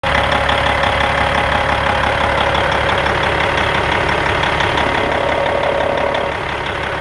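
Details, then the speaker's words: 1997 Peterbilt 379 with a Cat 5EK diesel at idle: steady heavy roar with a faint, even knock. Fan hub or a water-pump-like bearing was suspected, and a missing gear tooth is being sought; unconfirmed. "I bought this truck and uh thought The Fan Hub was bad or they see compressed right now which one but sounded like you know had a roar like a bad water pump or something"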